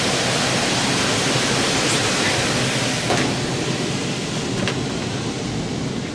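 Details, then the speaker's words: 15-year-old heat pump air handler after fan motor and squirrel cage replacement (noisy motor): steady airy rush with no squeal, scrape or wobble; blower running correctly. "just turn it on when the fans going and show you that it's running correctly all right it passed the smoke test"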